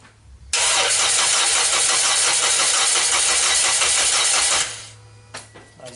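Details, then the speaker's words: 2010–2011 Toyota Corolla with the 1NZ engine, crank no start after an engine bay wash: loud starter whirr with steady rapid pulses about three a second that stops without catching, sluggish cranking from a low battery, which is then replaced. "you can tell the battery is running low basically I wasn't able to get it because the battery is low"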